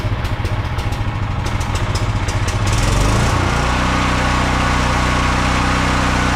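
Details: Briggs & Stratton 5,000-watt generator that sat unused in a field for a long time, hand-started after an ultrasonic carb cleaning with the pull start missing; first start smokes. A few pulls and sputters, then it catches and settles into a steady, even run with no misses. Normal running.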